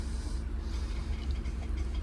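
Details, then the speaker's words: LCI RV hydraulic leveling system during a cylinder bypass test, heard from inside the cab: deep steady pump motor drone with a gritty low buzz, engaging normally; fluid found leaking from the hose. "Each time I'm listening for the motor, it kind of sounds like an electronic squirt gun is how it sounds from the inside of the cab. I want to make sure that's engaging when I'm doing that."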